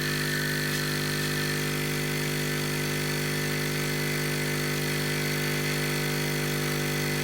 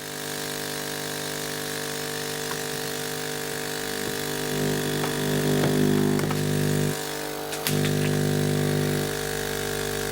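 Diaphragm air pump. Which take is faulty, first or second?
first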